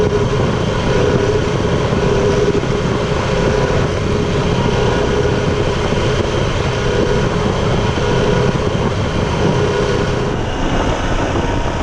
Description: Whining sound Tiger 800 XCx (2015), 4. gear ca. 3.5-4.2k rpm, when gently going on the gas.